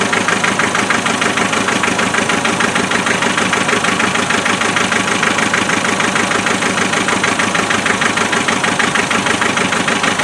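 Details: Land Rover 2.5 naturally aspirated diesel, cold start after glow plugs: hard regular clatter with a shaky uneven beat at idle; misfire always on number three cylinder regardless of injector swaps, investigated with thermal imaging camera and injector spray tests.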